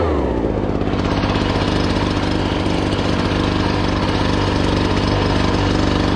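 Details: Two-stroke blower with a 42cc engine rated 510 CFM, started choked on fuel left from use about two months earlier; steady, even low-pitched putter with no misses or surging, settling into a clean idle after starting; normal idle.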